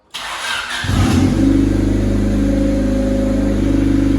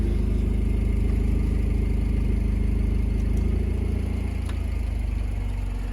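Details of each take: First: $300 project Honda Civic after oil change, no longer smoking: cranks briefly, catches at once and settles into a steady, even, somewhat loud idle; normal start and idle. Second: Cheap project Honda Civic on a cold day: deep loud even exhaust burble at a slow idle sagging lower near the end; idle sits too low for unknown reason; catalytic converter fitted.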